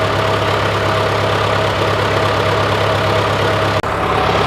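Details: John Deere 410C backhoe diesel started in winter after cleaning corroded battery terminals, warming up: steady, even low idle with a smooth, unbroken rumble and no knocks or misses.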